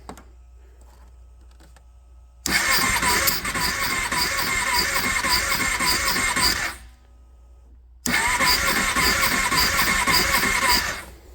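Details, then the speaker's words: Kawasaki Prairie 650 ATV that sat 8 years, fuel flushed, carb refitted, primed, choke on: two bursts of fast, even cranking with steady ticking, then it starts and idles, blowing a mouse nest from the clutch cover; normal cranking and start. "oh it runs we blew a big mouse mest out of the clutch cover there [Applause] woo even idles had to give a little Prime there and some throttle"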